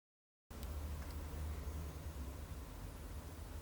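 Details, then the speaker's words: Van diesel air heater, first start after installation: soft steady low whoosh from the blower only, no pump ticking or burner yet; normal fan-only phase blowing cold air for a minute or two before the pump starts and heat comes. "अब केवल पंखा काम कर रहा है एक या दो मिनट के लिए केवल ठंडी हवा निकलेगी और उसके बाद ही पंप चालू हो जाएगा और गर्म हवा आने लगेगी।"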